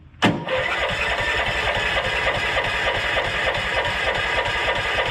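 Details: Honda Harmony lawn tractor found on the roadside, previously not starting, carb not cleaned, fresh fuel: cranks briefly, catches at once and settles into a steady even idle around two hundred pulses a minute, no misses; normal start and idle.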